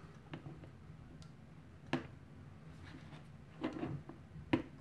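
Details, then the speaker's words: All-Sun EM3252 auto-ranging multimeter with a magnet held against it: a few sharp isolated clicks in a quiet room as the range relay chatters from magnetic interference; ranging in auto and manual mode otherwise unaffected. "you can actually hear that really clicking so there's definitely an interaction out between the magnet and the relay"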